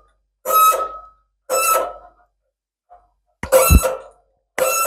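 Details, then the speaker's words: Lathe threading bronze oil cups with a tailstock die holder, chuck turned by hand: short, sharp squeaks as the die bites, with quiet between turns; normal die-cutting squeak. "there we go can hear it squeaking so what I'm going to do now is wind the tail stock back a little bit just to give it some free room"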